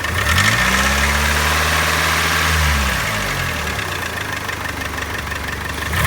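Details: 2003 Mitsubishi Outlander AWD 4G64 2.4L SOHC, 190,000 miles: light regular tapping/knocking when revved, persisting after engine flush, synthetic 5W-30 with Marvel Mystery Oil and new primed lash adjusters; timing belt and plugs ruled out.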